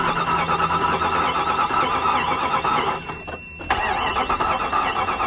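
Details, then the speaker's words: 1998 Jeep Grand Cherokee Limited 5.9 V8, 119,000 miles, abandoned five years, weak battery: steady starter churning with a pause and more cranking but no start; spark, injectors and timing checked good, no-start traced to the auto shutdown relay. "all right if you guys are wondering what i did to make it start all i did was swap the auto shutdown relay i guess that's a common thing on these"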